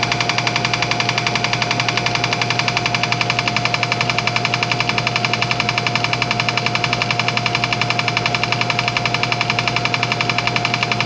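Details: Old air compressor, reassembled after tank hydrotest: even steady pump run with a crisp regular click about ninety-seven a minute; the click is just the check valve, nothing wrong with the pump, normal running.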